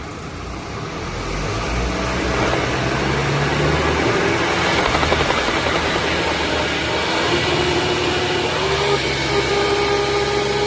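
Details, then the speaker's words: BMW G20 3 Series xDrive 2.0 diesel, 70,000 km: droning aircraft-like whine rising with road speed from the rear differential; side bearing rollers and race worn, lots of metal filings, large ring-and-pinion clearance. "Проблемы с задним редуктором. Сейчас мы покажем, как он гудит."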